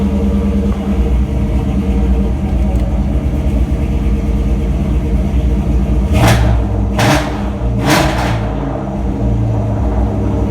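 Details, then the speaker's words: New Edge Ford Mustang after fuel pump replacement for code P0190 and a fuel pressure issue: steady, even rumble with clean throttle blips that rise and settle smoothly, no stumble or miss; normal running, fuel pressure and error code fixed. "Perfect. So we fixed our fuel pressure issue. We fixed the issue with our error code coming on."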